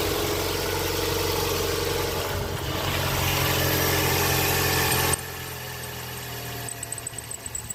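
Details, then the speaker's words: 2011 Ford Fusion 2.5L, just after reinstalling the thrown serpentine belt: thin high squeal over the idle at startup that fades as the engine settles, with smoking. Blamed on grease on the belt. Afterwards the battery light is off and it is charging. "There's the belt squeak. There it is. Woo! She's smoking. Woo. You know, it's just grease on the belt."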